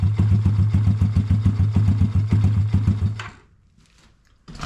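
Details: Honda ATC70 with a Piranha 140cc single, just after first start: an even, deep thump at about three and a half beats a second, then it shuts off; runs smoothly, though the idle may need adjusting.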